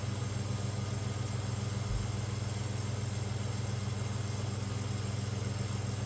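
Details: Round-grille 1970s/80s Limit Ariel 12-inch Spanish oscillating desk fan, freshly oiled, on high drawing 84 watts and about 1416 ft/min airflow. Steady hum with a regular rubbing beat about three and a half times a second: loose winding insulation catching the rotor.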